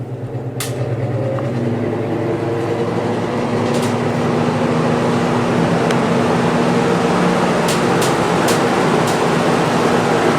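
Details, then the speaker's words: Vintage GE F11W16 box fan on high; rotor not perfectly round, motor runs hot at about 160°F and draws about 2 A on low. Steady hum and whoosh with a wobbling throb about three per second: wobble and vibration, blades need balancing. "one does wobble quite a bit on high there"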